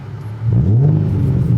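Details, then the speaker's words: Nissan VQ V6 with aftermarket louder exhaust, revved at standstill before a test drive for a driveline vibration: deep throaty rumble, loud exhaust but nothing wrong with the engine. "so right away I can tell you it definitely has a louder exhaust there's some rumble that you feel out of the back of the car from the exhaust itself"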